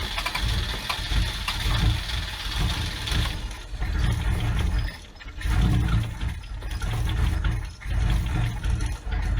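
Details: Abandoned Toyota AE86 with carburetor, after new spark plugs and compression test, hot day: slow labouring cranking in repeated bursts with no firing; cranks but won't start, timing then adjusted back a few degrees.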